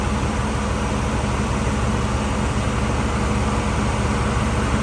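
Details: 1984 Camaro Z28 at idle with the A/C just got working, gauges on the R134 scale: steady even blower rush over a faint constant hum with no cycling clatter or rattles. Air feels cold; low side is above the target of about 40, so it may need a little more refrigerant.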